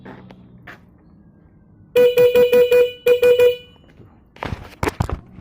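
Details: 2014 Mio Soul GT scooter horn, tested after replacing it with the front cover removed: several short, loud horn blasts at a clear steady pitch, crisp and even with no rasp or warble; horn sounds healthy.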